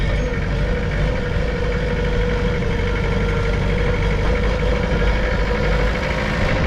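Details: Mitsubishi BD2F dozer diesel running at constant speed after being revived from two or three years sitting: steady, even clatter with no misses or knocks, running smoothly; normal running.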